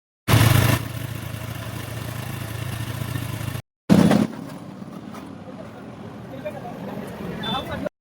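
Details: Honda Activa scooter running with a heavy "grrrr" growl from the gearbox side, usually caused by a worn gearbox bearing; fixed by replacing the bearing.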